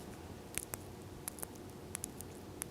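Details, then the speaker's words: Wrapped carbon arrow shaft bent and twisted close to the microphone: sharp, dry irregular crackles from a hidden crack under the wrap; arrow unsafe to shoot. "You hear that grinding? And it's actually grinding underneath of this wrap. So this arrow is trash."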